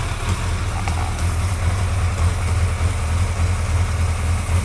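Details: Suzuki GSXR 1100 motorcycle at steady low idle with a faint, light tick riding over it; engine ticking, source not identified.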